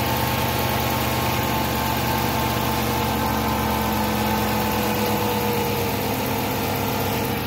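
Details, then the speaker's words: 2006 Chrysler 300 after serpentine belt drive work, cold-start idle the next morning, after the owner's complaint of loud belt squeal on cold startups: even idle hum, no squeal or chirp from the belt; normal cold idle. "So far, so good. I'm not hearing anything."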